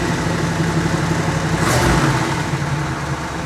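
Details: Warm V8 in a 1957 Chevy (4-door hardtop converted to 2-door convertible) after tune-up, timing set to about 38 degrees total and idle dropped; steady, fairly even idle with a brief blip, no misses or knocks, sounds healthy.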